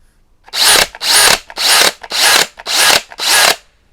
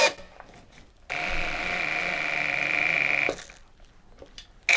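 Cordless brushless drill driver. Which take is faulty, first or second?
second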